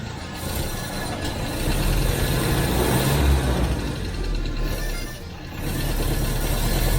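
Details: Vintage Citroën HY72 van engine, off the road 40 years and unrun for 8, revived without a fuel tank after a two-and-four mix-up was corrected: picks up cleanly on throttle blips and settles back without stumbling.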